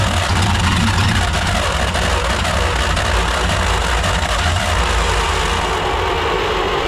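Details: 1938 Dodge D8 sedan engine, unstarted for roughly 30–40 years, with the charger in start mode. Loud, rough chugging as several cylinders fire unevenly during cranking; it nearly catches but won't keep running.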